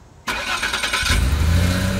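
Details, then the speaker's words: Car after DIY rust-damaged exhaust section replacement with clamps, checked with soapy water: engine cranks, catches and settles into a steady even idle with no ticking, puffing, bubbles or audible leaks. "not only do i not see leaks but i don't hear any either so this is good to go"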